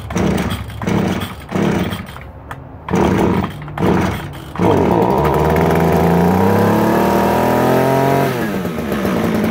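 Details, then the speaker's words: Stihl string trimmer, new primer fitted this year, must be tilted to get fuel, started on choke: several pull-start bursts, then it fires and runs with a wandering, uneven pitch before falling off; hard starting and rough running, and the owner suspects it needs carburetor cleaning. "oh oh ah yeah it probably needs some carburetor work probably some card cleaning"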